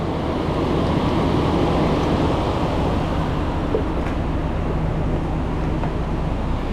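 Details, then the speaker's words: 2004 Toyota Tundra 4.7L V8 idling after serpentine belt replacement: even, low rumble under wind noise, no chirp or squeal; previous belt chirping and squeaking gone, accessory drive quiet and healthy. "New belt on, no more chirping and squeaking. Car sounds good."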